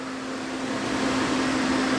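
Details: DA Integra electric cooling fan on a newly installed 30A relay controlled by the factory OEM fan switch, switch heated: strong steady whoosh with even low hum; fan working as intended.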